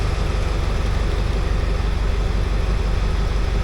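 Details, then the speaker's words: Ford F250 7.3 Powerstroke diesel after new starter, solenoid and injector drive module fixed a crank-no-start: deep steady clatter at even idle, no misses or knocks, some smoke, engine light on, good oil pressure; normal idle. "Oh, I tell you what, that sounds ace. Oh, she's smoking a bit, and I guess that's to be expected as well."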